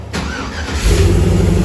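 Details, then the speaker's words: 1936 GMC truck with 5.3-litre LS V8 swap (about 300 hp), push-button start: short crank, then the V8 catches cleanly and settles into a smooth, steady idle; normal healthy start. "But she's running like a champ. I need to bleed the brakes still, but very happy. All that's running smooth. Sounds good in here."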